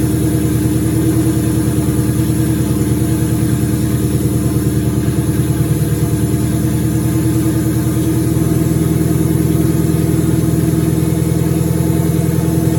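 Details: 2003 turbo Mustang Cobra V8 idling after reinstall with new valve cover gaskets, about 55 psi return-style fuel, intercooler cold-side pipe disconnected: even regular burble, steady low rhythm, no knocks or misses; normal idle.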